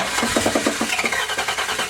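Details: 1979 Chevy Camaro Z-28 with a swapped-in 305 small-block V8, first start after the swap: a rough start with heavy, uneven metallic clunks. Worn rings or piston slap were suspected; finding: the crankshaft is striking a dented oil pan.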